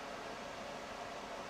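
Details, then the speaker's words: Suburban furnace blower running smoothly with a soft, steady rushing hiss and no rattles or scrapes, right after its wall thermostat was replaced with a Suburban 161210; the old one read 90 degrees and the new one reads 70. Propane status unknown. "I don't know if she has a propane on or not but it's running it's working turn it down"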